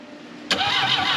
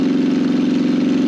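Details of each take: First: 1968 BMW 1800 barn find, carburetor full of fuel, plugs suspected fouled, after previously almost shocking someone: starter churns evenly with no firing pulses; cranks but no start, no spark. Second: 1968 BMW 1800 barn find running: a steady, even engine hum with no knocks or misses and a slight lift in pitch near the end, a smooth healthy idle. The fuel tank was later found full of very old, gummy gas.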